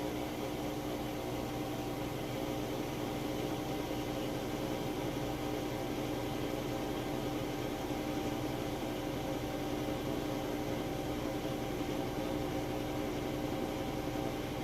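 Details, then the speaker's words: Crosley top-load washer in final spin after a heavy, warm-water, max full load: smooth, even whir with a steady mid-pitched tone at peak spin speed, no knocking or thumping; quiet, normal spin. "That is its peak spinning speed there. Sounds excellent."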